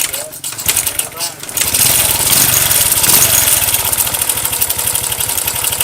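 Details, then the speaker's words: Motorcycle engine with badly slack cam chain that shifted timing and lost compression: fast, dry clattering tick like a typewriter or sewing machine over the idle; cam chain rattle, chain to be replaced. "bunyinya itu seperti ini nah bunyinya seperti itu seperti mesin ketik ya mesin jahit ya"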